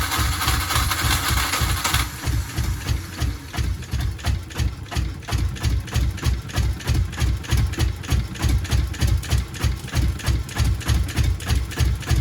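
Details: Subaru GC8 with EJ207 STi short block, first runs after build: heavy low thudding pulses about three a second, uneven and labouring, barely staying alive at a very rough idle.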